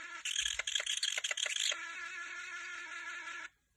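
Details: PSP handheld console UMD disc drive screeching: high, piercing screech stuttering in quick pulses, then a steady shrill tone for about two seconds before cutting off; disc drive screech.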